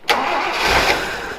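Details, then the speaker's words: Toyota Land Cruiser FJ40, sat about 20 years in a field, fuel pump leaking: starter spins briskly with even churn but never fires; sight glass empty. Crank no-start, out of fuel. "it ran out of fuel again yeah the the sight glass is empty"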